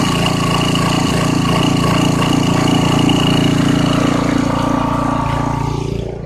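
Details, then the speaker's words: 1989 Briggs & Stratton 5 hp, 13 cu in, 6:1 gear reduction, off a dethatcher, first start after about three years sitting: slight surge at idle, needs some choke and wants to die off choke. Owner suspects a partly obstructed carburetor jet. "it started right up and it's running it's surging a little bit if you take it off choke all the way it wants to die which means the jet is probably slightly obstructed"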